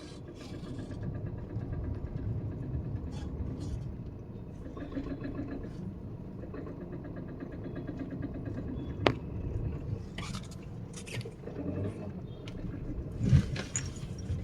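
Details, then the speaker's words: Diesel vehicle at 200,000 km, injectors never serviced, brought in for engine knocking near the engine, worse in low gear: rough, rapid clatter at idle; suspected worn, uncalibrated injectors, not confirmed. "Friends ನಮಸ್ಕಾರ ನಮ್ಮಲ್ಲಿ ಒಂದು ಗಾಡಿ ಬಂದಿದೆ engine knocking ಅಂತ engine ಹತ್ರ sound ಬರ್ತಾ ಇದೆ ಅಂತ ಹೇಳ್ಬಿಟ್ಟು"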